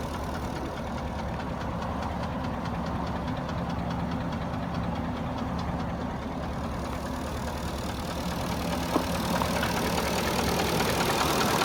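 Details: Porsche Cayenne 4.5 V8, warm idle: steady idle with fast, fairly regular light knocking about three per second over the engine note; piston slap (Kolbenkipper) suspected.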